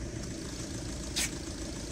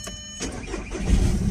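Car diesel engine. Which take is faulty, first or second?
second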